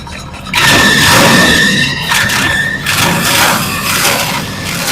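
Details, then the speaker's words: 24-valve 5.9 Cummins at start-up after a cam position sensor install without removing the injection pump. A steady high-pitched squeal rides over the running engine for a few seconds, typical of a slipping accessory drive belt. Belt squeal. "Okay, let's just see if she'll fire up. [Music] I got a squealy belt."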